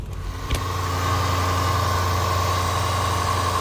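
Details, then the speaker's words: Range Rover L322 5.0L V8 started dead cold, idling smoothly with a steady low hum and no discernible timing chain rattle or ticking; normal cold idle, coolant found very low. "fire right up and actually sounds pretty good it was dead cold no uh discernable timing chain noise"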